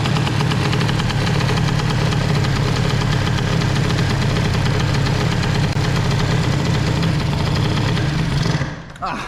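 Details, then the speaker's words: Airsal XT 77 kit on a two-stroke moped with Malossi reed valve box and new belt, warmed up, choke off, needle raised one notch: lumpy, burbling, slightly uneven idle; carb too rich at idle, owner suspects oversized idle jet. "Ah, la carbe est vraiment pas bonne. Je suis trop riche en ralenti, hein."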